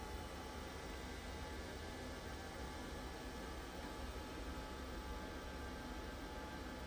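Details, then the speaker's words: LG 20 kg washer-dryer that earlier showed dHE within minutes, timed dry, now heating with no error: quiet steady hum and airflow rush, no knocks, squeals or stops; blower running continuously, normal drying. "Yes, my dear, it's okay. It is getting heat. Also not showing. Before, it's within few minutes it's showing dHE. Yes, it's getting heat. No any problem. Blower also working continuously."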